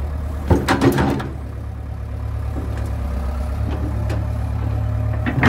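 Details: John Deere 490E excavator with Hitachi hydraulic pump, computer bypassed, pump put in limp mode; deep steady diesel drone holds speed under hydraulic load with a few clunks, slower operation but no bogging.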